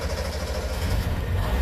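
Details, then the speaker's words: Small two-stroke 360 van started in garage after sitting, on choke; rough, uneven low burble barely idling while oil in crankcase burns off as heavy smoke filling the neighborhood; excessive smoke from oil-flooded crankcase. "well I turned it off because it just smoked out the whole entire neighborhood"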